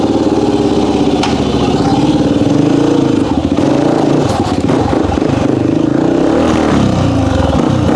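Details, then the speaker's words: 1998 Honda XR400 single, worn backup bike being prepped for desert racing, first run on kick start: revs rise unevenly, stumbling and flattening as throttle opens; owner suspects running really lean coming onto main jet, jetting to be checked. "y sounds like to me right when it wants to get on the main jet it's not getting enough gas but yeah really lean"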